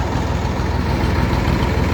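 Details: Landini 5830 tractor diesel idling after hydraulic oil and filter change, level halfway between the marks: steady, even low rumble with no knocks, misses or surges; running much smoother and healthy.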